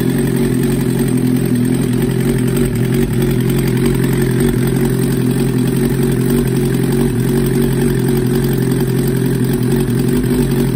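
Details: 1994 Suzuki GSXR 750 on its first start after a rebuild with a Wiseco 1mm-over piston kit and Yoshimura Stage 2 cams. Steady, even idle with a smooth low drone and no knocks or misses; a normal idle.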